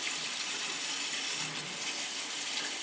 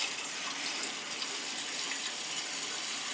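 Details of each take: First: Gas boiler heating system zone, possibly after a stuck feeder: steady hissing, spitting gush of sputtering water as trapped air is purged from the zone. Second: Crown gas boiler heating zones after purging all three zones (third floor had air, possibly from a stuck feeder): smooth, constant rush of water with no gurgling or spitting; flow steady, air out.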